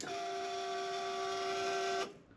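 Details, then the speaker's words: 1999 Harley-Davidson Electra Glide, 89,389 miles: fuel pump gives a steady high fixed-pitch whine for two seconds then cuts off, sounding noisy and worn; pump due for replacement. "That fuel pump sounds like it's chewed on a few things in its life."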